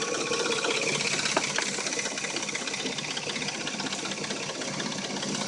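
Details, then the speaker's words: Dodge Intrepid at warm idle: a fast, busy ticking rattle of about three per second with a light knock; it appears only when warm and the engine sounds new when cold. Timing chain suspected, not confirmed. "it only makes a rattle when it's warm. Same with the knock. When it's cold, it sounds like a brand new engine."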